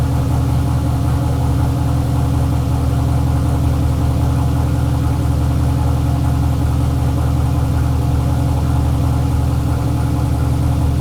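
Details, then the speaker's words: Chevelle LS turbo on Holley Terminator X, fuel pressure 60 psi; steady fast idle that never settles, with IAC at 0% yet idle above target because the throttle blade is open too far, then closed slightly by its screw. "also i noticed that the iac the idle air control was at zero percent and the idle was still above the target so what that means is i think the throttle blade was open too much"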